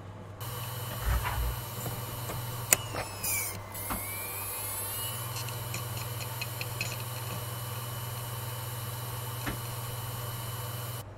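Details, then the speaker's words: Hard drive in an Orico 1106SS SATA hot-swap rack loses power when a second drive is hot-connected. It clunks sharply as the heads park, then its whine sweeps back up as it respins and reinitializes. "this will drop out and you'll hear a clunk because the heads will attempt to park themselves because there's a power shortage the drive will think that the system's actually been switched off and then you'll hear it spin back up and reinitialize itself"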